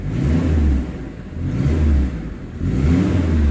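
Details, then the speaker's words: Daihatsu Zebra Espass after timing belt replacement, following a roughly 30 km test drive: engine rises and falls smoothly in repeated blips, even tone with no knocks or rattles; now smoother, more powerful and responsive. "pada saat timbang sudah diganti mesin menjadi lebih halus lebih bertenaga dan juga responsif"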